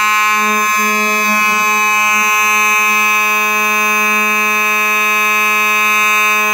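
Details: Simplex 4903-9219 mechanical horn strobe, horn and strobe together: very loud, constant buzzing hum at one steady pitch with no breaks or wavering; the mechanical horn sounds normal.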